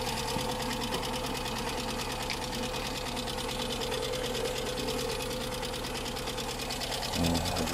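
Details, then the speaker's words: Apparently a Skoda Fabia with an engine (not VW-derived), running on a donor battery at idle: quick, light ticking keeping pace with engine speed over a steady idle; insidious engine fault, lifters clattering from coolant-contaminated oil. "wir reden hier von einem sehr heimtückischen motorschaden kein scherz der wagen ein motorschaden im moment im ersten auf das erste hinhören nicht wirklich zu merken oder klappert"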